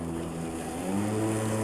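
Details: Makita 36 V (2x18 V) cordless lawn mower, meeting thick grass in load test: steady motor hum steps up to a higher, even pitch; normal automatic speed increase under load.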